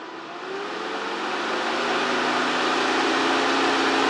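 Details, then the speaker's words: Mercedes 560SL (R107) two-speed auxiliary fan bench-tested on a DC power supply at about 10–11 V, 9.5 A: steady even rushing whir building smoothly with no ticking or rubbing; works great and quiet. "I'm only running 10 there she tops out at about 11 at a 9 1/2 amp so it looks like it works great nice and quiet"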